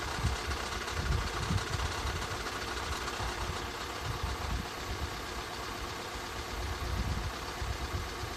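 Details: 2013 Skoda 1.6, 105 hp, idling. Irregular light knocking under a steady low rumble. Engine noise at idle, cause unknown.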